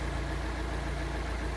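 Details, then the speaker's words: Fiat Palio Fire 1.0 8v after replacing the burnt exhaust manifold gasket: smooth, even idle with a steady low hum and no ticking; noise gone, engine runs healthy. "E aí pessoal acabou o barulho papelzinho rodando aí redondinho já parou de bater"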